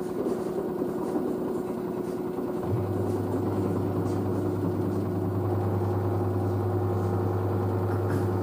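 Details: New washer dryer spinning at 600 rpm: a low even hum stepping up to a higher steady drone with no knocking or thumping. It is quiet; the front panel flexes slightly but the machine stays stable. Normal spin.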